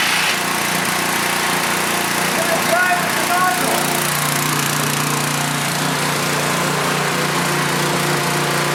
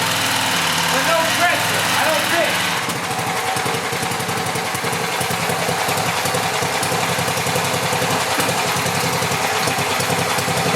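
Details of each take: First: Pressure washer small engine, 2002 date code, after throttle spring adjustment, started first time, air filter missing: steady high buzz with faint light clatter and a little smoke, running evenly; working normally. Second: Cheap returned pressure washer's small engine: it holds a steady low idle patter and never climbs in speed wherever the engine speed control is set; faulty throttle linkage, possibly a worn-out spring.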